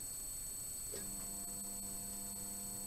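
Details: Restored old band saw blade welder, its transformer switched on at power stage 2 for heating: steady low hum with a faint high buzz comes in after a click and holds even. Transformer humming normally under load.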